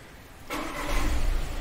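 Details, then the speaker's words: Volkswagen Taigun after battery replacement fixed crank-but-no-start and long cranking caused by a bad-cell battery; new battery tested good, now a very short crank, catches at once and settles into a steady even idle. "यह देखिए हमारी गाड़ी proper तरीके से अब ready हो चुकी है अब हम इसे बिंदास अपने जो कस्टमर है उसे दे सकते हैं बिना किसी कंप्लेन के"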